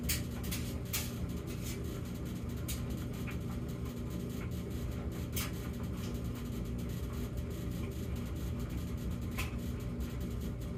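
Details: Samsung gas dryer with an intermittent humming problem (high hum 14 s, low hum 38 s, then none for minutes) in its quiet phase: low, steady drum rumble with a few soft tumbling clicks and no droning hum, running normally.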